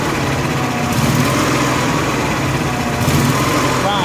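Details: Honda gas-powered AEC welder generator, fuel pump on factory wiring (on only from cranking), no hose leaks: engine hunts, speed sagging and recovering every couple of seconds. Fuel-starvation surging; the fuel shutoff was rated for natural gas, not gasoline, and was replaced.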